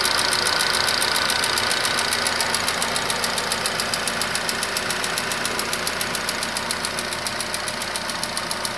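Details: Nissan Qashqai HR16 engine: sharp regular tapping about three and a half beats a second over the idle; knock from inside engine persists after two flushes and an oil change, cause not found.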